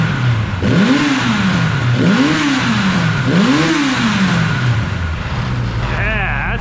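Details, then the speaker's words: 1982 Kawasaki KZ1000 LTD four-cylinder, sitting about 35 years, now running and warmed up, carbs not rejetted (factory lean): three clean throttle blips, pitch rising and falling smoothly, even firing, no knocks; normal revving. "finally got it running good of course it's warmed up right now so that doesn't mean it's going to run great when it's cold"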